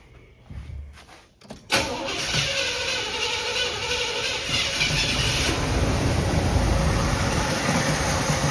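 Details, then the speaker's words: Early-1980s Monte Carlo, parked an estimated 10–20 years, old varnished fuel: catches and holds a steady rough idle only while primed with fuel poured in; owner suspects a bad fuel pump or clogged fuel line. "Yeah, I don't think it's pulling gas at all. It would have been running by now if it was. Probably bad fuel pump or clogged fuel line."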